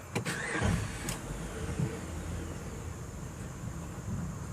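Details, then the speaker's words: 2012 Jeep Grand Cherokee Overland, push-button start: a short crank, the engine catches for a second, then dies straight away; usually it just cranks without firing. Owner notes a strange smell; starts then stalls. "and there it goes fires up cuts off most of the time it just tries to crank but never fires up"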